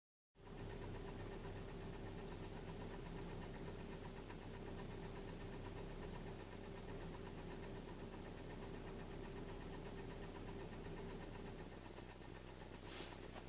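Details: Engine knock heard inside the cabin and clearly with the window open: steady dull knocking about four per second under an even idle, faint; suspected bottom-end mechanical knock, video attributes it to scored cylinders.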